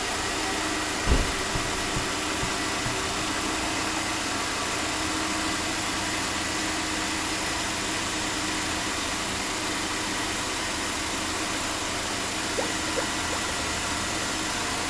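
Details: 2005 Chevy Uplander 3.5L V6 after water pump replacement for startup rattle and coolant drip, cooling system refilled: smooth, even idle with a steady hum, no knocks, squeals or misses; normal idle, no overheating or leaks after drive.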